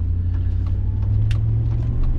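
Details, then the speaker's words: Chevy Tahoe driving after front differential rebuild and both front hubs replaced: smooth, even low drivetrain rumble with no hum, growl or clunk from the front end; running healthy. "the hub's I thought they were good turns out they weren't so two hubs"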